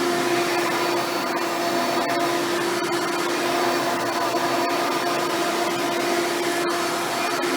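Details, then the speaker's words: Hoover Spectrum (Elite-style upright vacuum) run after installing a new belt and brushroll: steady high-pitched motor whine with clean airflow rush, no slapping or squealing; runs healthy. "testing out the new belt after installing it just to show you that everything works right and then you're gonna have no issues"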